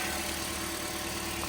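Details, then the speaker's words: 2010 Toyota Corolla S just started after timing chain replacement: quiet, smooth idle with a soft, even hum and no rattle or chain slap; engine running normally. "All right. So, if you guys can hear the engine started, right?"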